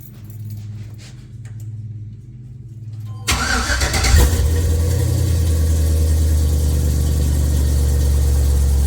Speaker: Man, that sounds so good. That just sounds so good.